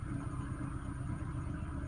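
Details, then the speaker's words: Peugeot 307 2.0i after fixing a vacuum leak, cold start: low, even rumble at idle, no RPM jumping up and down as before the repair; idle holds steady. "okay much better than yesterday yesterday when you start it at Co start uh the the RM will be jumping up and"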